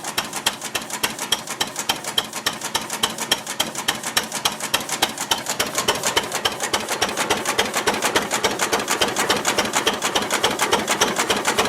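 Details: Ruston Hornsby model PR, about 1926, horizontal single-cylinder petrol-paraffin engine, running on petrol after the too-rich mixture was screwed in, apparently first start in 5 or 6 years: sharp, evenly spaced beats near 105 a minute, no misses; normal idle.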